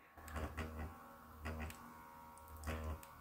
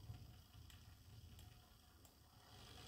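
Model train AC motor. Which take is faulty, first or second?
first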